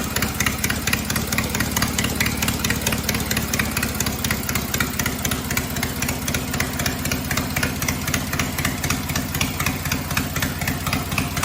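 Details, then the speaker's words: Cub Cadet 482 tractor after an engine swap to a 12.5 hp opposed-twin Briggs, with the carb rebuilt, running without mufflers: loud, sharp, even beat at about four pulses a second, steady throughout. Healthy normal running, just raw and unmuffled. "It sounds good. It's loud, but it sounds good."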